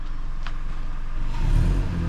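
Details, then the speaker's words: 2012 Hyundai Elantra after fixing the leaking exhaust flange near the new flex pipe. Engine revs smoothly with a low, even exhaust note, much quieter; small leaks remain further back. Normal exhaust note. "But she sounded a lot quieter, eh? Yeah. Give her a couple more pumps on the gas and see."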